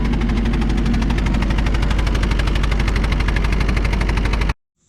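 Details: Kubota excavator diesel idling after a new muffler was fitted on a makeshift gasket: heavy thumps about three per second with an uneven, stumbling beat, an intermittent miss at idle; cause not confirmed.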